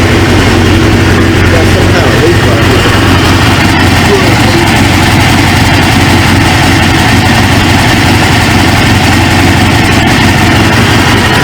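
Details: 1999 Suzuki GSX-R 750, newly installed used engine, warming (gauge about 143, fan expected around 220): loud steady idle, even low rumble, no knocks or misses, settling smoothly as it warms.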